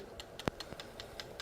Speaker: you can hear the bulb rattle. That means the piercing point is open.